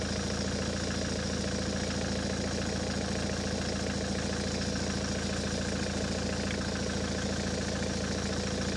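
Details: Ford S-Max 2.0 TDCi diesel, 2010, about 80,000 miles, idling after a fuel filter change and priming: a steady even diesel clatter with no misses, hunting or stalling, and no leaks. Normal diesel idle.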